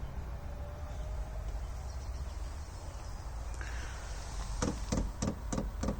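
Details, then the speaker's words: Diesel heater started on a Grecell T-500 solar generator with a booster pack, about 20-30 seconds into start-up: low steady hum, then sharp clicks roughly every quarter second as the glow plug warms up; normal glow plug warm-up clicking. "it's been uh not too long just 20 30 seconds and it's still warming up the glow plugs you can hear a clicking"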